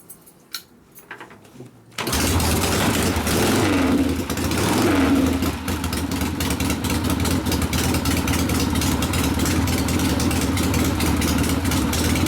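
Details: 1972 Harley Sportster XLCH Ironhead after case repair and engine rebuild (came in with kick starter unable to turn the locked motor), kick-started: V-twin catches and settles into steady, even lope, no knocks or rattles; normal running.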